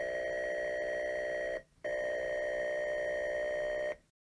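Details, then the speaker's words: Atari 410 cassette loading the Sammy the Sea Serpent tape into an Atari 400 (BASIC cartridge, CLOAD), with the sound played through the TV. Two steady high data tones, a brief gap, then a long even stretch. Normal cassette load. "you might be able to hear there's a very high pitched noise right now and then you're going to start to hear the actual data being transferred that's what the Ataris would do they would play the data being transferred audibly over to your your TV so you can hear it load"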